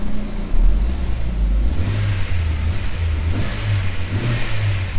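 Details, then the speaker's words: 2009 Astra revving cleanly from idle; coolant about 45–46 °C, engine not yet warm; smooth even pitch, no stumble or misfire, engine round and calm; normal revving. "mas eu acho que já ficou redondinho eu vou esperar esquentar e vou mostrar isso aqui para vocês depois aí no vídeo vai estar monitoradinho o motor ficou Sereno ficou Redondo ficou legal"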